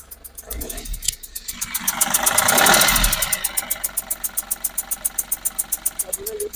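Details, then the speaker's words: Ashok Leyland Bada Dost LS three-injector diesel idles with a sharp, regular ticking knock about four a second and uneven labouring beat, misfiring, poor pickup; failed sealing washer on second injector leaks compression gas; no warning lights. "வருது பாத்தீங்களா sound ஃபுல்லா ஏதோ league ஆயிருக்குன்னு நினைக்கிறேன். இன்ஜட்டர் washer போயிட்டு case வந்து வெளிய league ஆகுறதால sound ஹெவியா இருக்கு."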